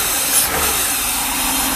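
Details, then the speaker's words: Mercedes V8 with its fuel distributor just repaired (glue scrubbed out, main diaphragm replaced; three of eight cylinders had received no fuel) idles steady and even under heavy rain, no misses or hunting; runs really nice. "all right that's how it runs runs really nice"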